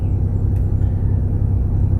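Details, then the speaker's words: Toyota 4AFE condenser fan, slow after an AC high-pressure hose blew, wired directly to the battery: steady, even whir at full speed; old and new fans both fine, owner suspects the power supply line. "I had to check it by connecting it directly to the battery and it was fast and I tested my old one and it's also still fast"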